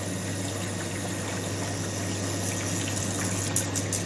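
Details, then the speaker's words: Ice machine reassembled after cleaning and servicing, run in wash cycle: smooth, even low hum with water splashing through, no knocks or grinding; the water pump is turning quietly and running fine. "so I'm going to click this into the wash cycle which on this model it's down if I have a look my pump is turning no noises that's looking good"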